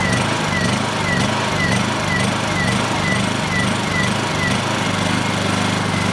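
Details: Honda EU2000i generator after carburetor cleaning, choke on, fuel on: runs loud and steady but with a faint chirping surge about twice a second. A carburetor return spring is suspected to have popped off. Uneven running.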